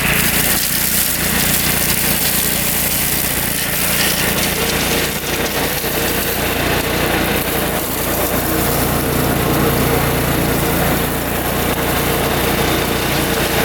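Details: Riding mower with a freshly installed Kohler Command engine, believed 14 hp, new battery, test run in brush: steady engine hum holds speed while the deck cuts, brush and cutting noise over it; running strong under load.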